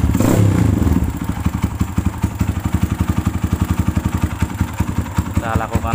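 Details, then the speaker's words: Kawasaki KLX with BRT ignition that would not run due to a dirty, clogged carburetor pilot and main jet, after cleaning, setting and replacing a part: single cylinder thumping evenly about four beats per second, steady and clean with no misses. "ini saya coba ganti ternyata langsung enak hidupnya"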